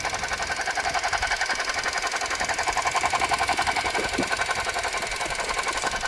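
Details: Suzuki Jimny JB64 at idle: a fast, regular whirring pulse near three beats a second rides over the engine; faulty alternator, later replaced under warranty with a new one.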